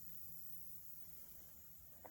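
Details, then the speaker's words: Front tire of a 1986 Honda ATC 350X three-wheeler: a faint, steady hiss of escaping air when the tire is rolled back from the position where it holds. Tire air leak. "One of the things we have to do, this poor front tire, I've rolled it to minimize the air leakage. I think my flashlight's on. There we go. But if I roll it back, start to hear the hiss."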